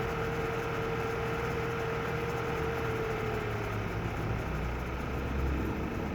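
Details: Audi A4 B8 2.0 TFSI petrol engine cold at fast idle: light, fast ticking under steady hum, only when cold, stopping once idle drops to 1000 rpm; owner unsure if normal.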